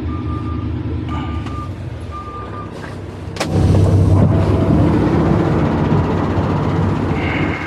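Evenly spaced high beeps about once a second over the diesel rumble, then a loud bang as the truck moves; normal reverse warning.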